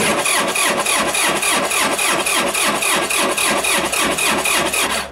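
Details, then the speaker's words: Machine left outside overnight on a frosty morning colder than minus 9; steady starter churn at about three and a half pulses per second for seconds before it catches with lots of smoke; hard cold start. "let's try that again there took a bit but she went I want to put it back inside actually first time I've ever actually had an issue with that starting I think"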